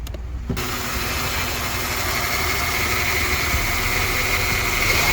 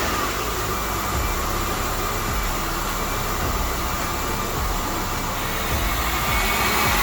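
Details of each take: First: 1998 Honda Odyssey with JDM F23A swap; idle hunts and surges up and down, runs better with MAP sensor unplugged, MAP sensor already swapped; owner suspects gasket maker used instead of a gasket is clogging a port. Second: 1998 Honda Odyssey with JDM F23A swap, started after throttle body gasket installed; loud steady engine roar, even unbroken note, no knocks or misses; running normally.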